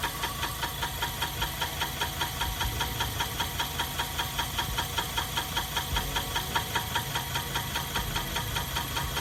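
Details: BMW 318 after differential replacement, DTC off, accelerating through the gears with the ABS light on: regular knock about 2.5 times a second over the running engine, following wheel speed; wheel appears to wobble; owner suspects a missing bolt.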